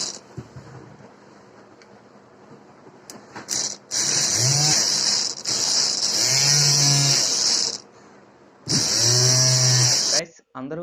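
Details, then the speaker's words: Upgraded 775 DC motor (6000 to 26000 RPM) on a 12 V 7 Ah battery: short bursts of high, steady whine spinning up quickly and cutting off cleanly; running fast and evenly. "And ఒకసారి దీని sound అయితే వినండి, speed మీకు సౌండ్లోనే తెలుస్తుంది ఎంత speed తిరుగుతుంది అన్నది."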